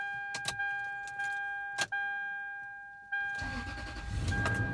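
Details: 2001 Toyota Sequoia, 217,000 miles, after replacing the intermittently failing fuel pump: the door chime rings, then the engine cranks briefly and catches cleanly into a steady idle; it starts normally.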